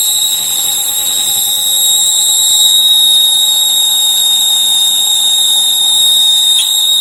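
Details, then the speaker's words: 1000-watt foldable hair dryer switched on: a piercing, steady high whistle over the airflow, loud enough to hurt the ears, from a dry, rusty motor bearing squealing. "Problem इसने यह है कि यह जब इसे on करते हैं तो यह बहुत तेज आवाज करता है इतना तेज आवाज करता है कि लक्खन में आपको दर्द हो जाएगा इस तरह का आवाज करता है इसमें एक सीटी क्वाथ जाता है"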